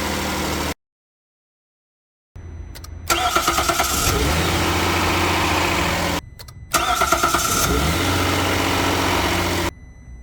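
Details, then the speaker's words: Hyundai Grandeur HG 3.0 GDI, cold start after more than 8 hours, with ruthenium spark plugs fitted in place of the stock iridium. Two quick cranks catch cleanly into a steady, even fast idle with no misfire or knock. No audible difference from iridium. "시동음의 차이가 있을까 하고 8시간 이상 냉간 상태에서 시동을 걸어서 시동음을 비교를 해봤습니다. 잘 들어보세요. 다음은 루테늄 플러그 장착했을 때 시동 소음입니다."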